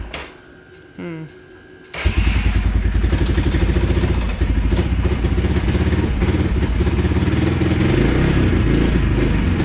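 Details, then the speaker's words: Honda Fortrax 300 ATV, previously a no-start, after adjusting the idle: fires after a short quiet start and settles into a quick, even single-cylinder putter that holds steady; normal idle. "Alright, now that we have that taken care of, that thing's running sweet. Just did a little adjustment on the RPM side, and I did a little adjustment on the other side here for fuel air. It's working awesome now."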